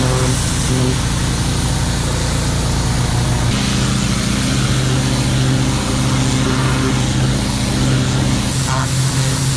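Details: Engine of a neglected, cleaned-up boat running with a deep, steady drone and even beat, no misses or knocks; good hot water flow from the exhaust, no leaks, running smoothly and healthy.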